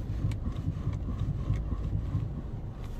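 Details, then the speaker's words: 2013–2019 Ford Taurus (3.5L) at idle with the steering wheel turned: dull irregular clunks from worn strut mount bearings, OEM mounts replaced only 9 months and under 10,000 miles earlier. "I hope you can hear it, like the banging noise, bang bang bang. Those are the strut mounts. So these are 9 months old."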